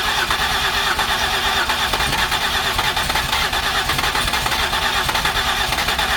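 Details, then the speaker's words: 2008 Ford Escape no-start, cranked with cleaned spark plugs and the coil packs refitted: long, fast, even cranking where the engine tries to catch but never runs; the mechanic suspects too much fuel, not confirmed. "it wants like it wants to yeah okay let me go check my door cuz I think I got somebody up front but I think we can get it to start"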